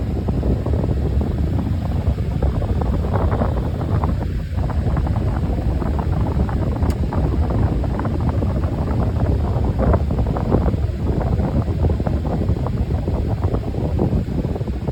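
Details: Home HVAC main return duct in living room, only during cooling: irregular light pops and ticks over steady air rush, seemingly from the drip pan; owner suspects thermal expansion/contraction; two technicians failed to fix it.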